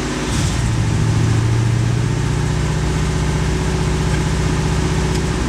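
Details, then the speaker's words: 1991 Corvette ZR1, LT5 V8 with 16 Multec injectors, secondary injector system engaged: lumpy, uneven idle beat with a steady hum; misfire from multiple shorted secondary injectors, confirmed on scope. "let's turn this system on again clearly we have a shorted injector or actually multiple injectors"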